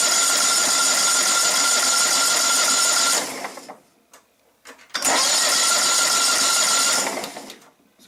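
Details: John Deere STX30 with Kohler CV12.5 engine, sat all winter, with oil showing on the dipstick: two cranking bursts of about three seconds each with a steady starter whir, but it never catches; cranks but won't start, suspected carburetor issue.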